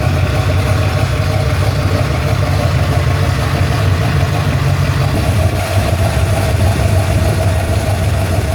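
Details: Ford Falcon XC GXL's restored 351 V8, warm with thermostat open, while idle is adjusted: a smooth, even burble sitting a touch high with no miss or tapping. Normal warm idle.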